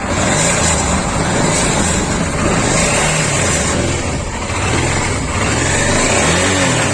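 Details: Honda Africa Twin RD07 with an engine noise: after a part was tightened and the engine restarted, a fast idle still has an irregular mechanical rattle over the exhaust. The source is unclear, possibly the timing/distribution.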